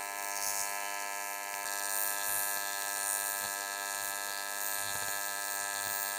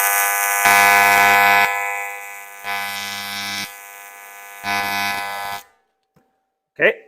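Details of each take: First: YesWelder CT2050 AC TIG welding aluminum, amperage via foot pedal, tungsten size unchanged, after dialing in settings that had run too hot: steady even buzz at one pitch, no crackling, popping or sputtering. Stable, properly set AC arc. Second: YesWelder CT2050 AC TIG on 3/16 material, max set to 200 A with foot pedal control, first weld after purging gas: harsh arc buzz rising and falling about once a second. Pulse mode had been left on unintentionally; turned off afterward.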